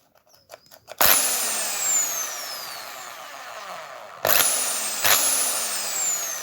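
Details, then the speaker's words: Old Bosch drill after its dirty switch was cleaned and sprayed with WD40, having cut out in one position; spins up to a smooth steady high whine, winds down and restarts cleanly. Owner thinks the fault was the dirty switch, possibly the reverse side, now fixed. "Definitely it was it nou one of the sides maybe it was the reverse. I think it's fixed, guys."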